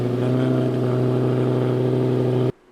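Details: 2008 Lamborghini Gallardo Superleggera running during oil change: strong, even engine hum with steady low tones, no knocks or ticks, cutting off cleanly at shutdown; sounds healthy.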